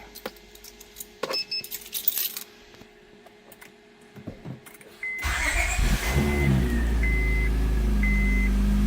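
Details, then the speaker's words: 2003 Honda Accord V6 at 136,649 miles, after belt tensioner replacement: quick start then smooth, even, quiet idle with no rattling or chirp; pulleys and belt sound good, healthy. "Nice and quiet. There you go. No rattling. Pulleys sound good. Nice and quiet."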